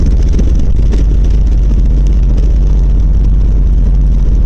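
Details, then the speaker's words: 1990 Volvo 740 recorded from inside while moving: heavy, uneven low rumble and rattling vibration from the driveshaft, worsening over six months, traced to a worn center driveshaft support and/or bearing after fuel, spark and sensor tune-up. "But if this helps you diagnose anything at all, what I found out is that it is the center drive shaft support"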